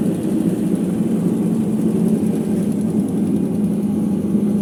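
Constant deep droning roar with a rough grainy edge while the drum spins fast; worn drum bearings.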